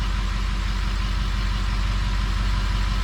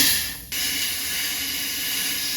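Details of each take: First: 6.0 Powerstroke diesel with rebuilt engine, idling: smooth, deep, even rumble with no misses, knocks or rising whine; sounds healthy. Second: 6.0 Powerstroke with rebuilt engine under high-pressure oil system air test, engine off: steady sharp hiss of air leaking past the HPOP discharge fitting, whose bolts had yielded; an O-ring inside was also suspected.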